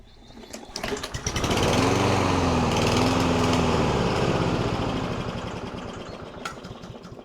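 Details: Surging lawn mower before STABIL fuel additive treatment; it revs up, then the pitch rises and falls repeatedly before dying away, a hunting, surging idle from a dirty carburetor, eventually refusing to stay running.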